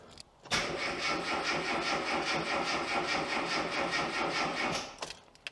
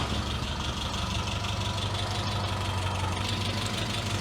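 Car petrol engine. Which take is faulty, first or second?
second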